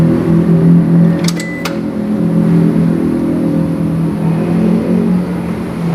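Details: Toyota Innova petrol idling after battery replacement: steady low hum, even with no misses or knocks, a couple of light clicks early on; engine running cleanly.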